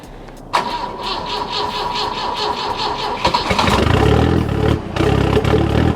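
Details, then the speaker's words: Big-turbo Volvo petrol engine idling cold in warm-up mode: slightly uneven, stumbling beat from a mild misfire that goes away once warm. "all right she's running still in warm-up mode so you can hear it kind of misfiring a little bit it goes away once you warm it up"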